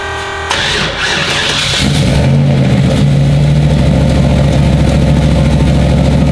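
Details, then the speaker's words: Fools Gold turbo car cranked after stalling on first street hits; data log showed fuel and timing perfect, saw 6800 RPM; loud idle with gravelly rattling clatter like rocks in the engine; owner suspects something touching, turbo found not spinning; internal engine knocking. "got him on the trailer and it sounds like there's rocks in the engine now"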